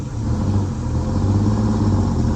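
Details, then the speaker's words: Antique bus after rats chewed an air line, clutch slipped with throttle: engine held at a steady low drone, pulling hard without gaining revs; the bus won't move because the rear brakes are stuck on and not releasing. "Okay, that those rear brakes are stuck on. I don't even hear them releasing."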